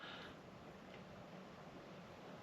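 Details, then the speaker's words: Macintosh Classic II after replacing its noisy internal fan with a Noctua NF-A6x25 60 mm fan, microphone close to the speaker: just a faint, steady airy hiss with no hum or buzz; normal quiet fan running. "but it's a lot quieter it's a lot better um I'm quite happy with that"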